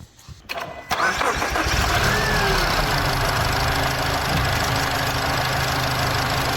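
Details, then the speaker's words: Mazda CX-30 with a worn, micro-cracked drive belt (tensioner suspected for cranking noise): starts and settles into smooth, even idle with no squeal, chirp or rattle; all noise gone. Water pump later found rattling when spun. "all noise is gone"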